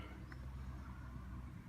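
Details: Rega RP1 turntable: steady low hum, motor not spinning and just vibrating even when forced, caused by a dry-soldered capacitor joint; fixed by resoldering.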